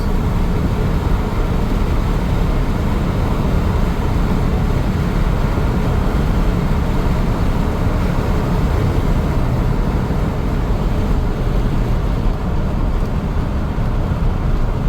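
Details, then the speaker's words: 1997 Chevrolet K1500 Silverado, 5.7L Vortec V8, 4L60 transmission rebuilt about 10,000 miles ago, 211,812 miles: on cruise the engine is pegged at 5,000 rpm at 65 mph with a loud steady drone, as if stuck in third and not upshifting; cause unknown. "It's like it's in NASCAR mode or some Not limp. It's pegged at 5,000 RPMs at 65 miles an hour. That ain't right."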